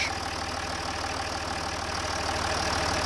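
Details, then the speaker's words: Range Rover Sport 3.0 TDV6 diesel, 1200 miles after engine rebuild, at service after fuel filter change and fuel system priming: even, steady diesel clatter about three beats a second, no misses or knocks; healthy smooth idle. "kick it in the gut sydney and she still sounds like a watch"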